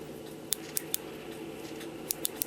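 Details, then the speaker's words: Regula 25 cuckoo clock with the chain wheel removed, one click tab slightly bent: two bursts of three crisp clicks as the chain is pulled, tabs snapping into their slots, so the ratchet is working normally. "hear them clicking. I don't know if you can see that here. Those little tabs just kind of snap down in those slots. That's how it's supposed to work."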